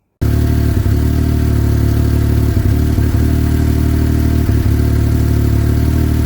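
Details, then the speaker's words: Yamaha YXZ1000R, 1,300 miles, stock tune with lower fan activation temperatures: a steady drone with brief stumbles every second or two. Intermittent stutter traced to an unseated intake boot leaking air. "So, I have 1300 miles on my YXZ right now, and I got to be honest, I haven't been in love with it. Um, it's had been having intermittent performance issues."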